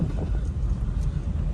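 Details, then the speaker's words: Honda City on a test drive heard from inside the car after repairing play in the steering rack (rack ends and pinion opened). Steady low road rumble with no clunks or knocks, steering quiet and smooth, car tracking straight; alignment is still planned as a precaution. "है कि देखें है कि कोई आवाज नहीं आ रही तेरी में से है"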